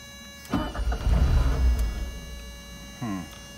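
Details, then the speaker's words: 1983 Porsche 944, sat 14 years, about 5 bar oil pressure once running: the engine fires, runs about a second and a half, then dies as the key returns to on; stalls after starting because of a faulty ignition switch. "It's only jumping the 5 once the car started. But as you can see, the car isn't staying running."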